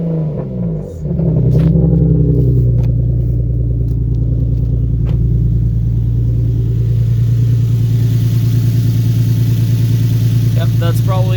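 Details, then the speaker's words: Infiniti G37 VQ37 V6 just after wrapped 1320 header install, smoke from header wrap: quick rev then loud, lumpy uneven idle, no exhaust leak heard; rough idle, possible misfire, owner thinks car not yet relearned. "now i don't know if it's leaking or not but it's running a little rough might be still not used to it but we'll see"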